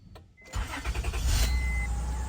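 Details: 2001–2002 Acura MDX at engine start: cranks and catches with a sharp, shrill squeal over the rumble, then settles toward idle. Squeal from the power steering or serpentine belt; the serpentine belt is near breaking, and both belts get replaced.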